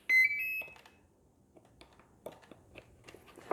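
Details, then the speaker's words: FMS Fox 3 m RC glider: battery plugged in for binding, with the transmitter off, gives a short run of clear rising beeps; a normal speed-controller startup. "so it is plugged in okay we hear the beeping that's a good sign"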